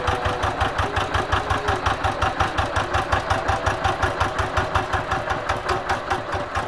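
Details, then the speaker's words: Single-cylinder diesel tractor that was hard to start in the morning, smoky and weak, after replacing the worn injection pump plunger: it now starts at low throttle and idles with an even, steady chug at about three beats a second. "ini sudah kita ganti ya sekarang ini di mana gas kecil aja sudah bisa nyala ya"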